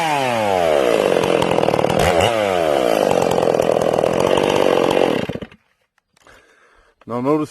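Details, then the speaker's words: Ported Stihl MS461 chainsaw with rev-limited coil, cutting: high revs bog slightly entering wood, burble unevenly exiting; normal four-stroking off load from well-tuned carburettor. "you hear the saw four stroking as it enters the wood and as it exits the wood let's listen for that again"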